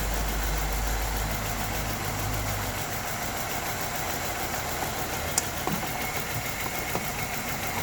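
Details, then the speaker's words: LPG-converted car idling with heavy shaking, dipping and catching about three times a second. Shaking stopped when the injector wiring was jumped. An add-on LPG computer sits beside the main ECU, and faulty contacts or solder joints in its connector are suspected. "지금 여기에 있는 잭 중에 뭔가 접촉이 불량이거나 땜납이 문제가 생긴 것 같습니다."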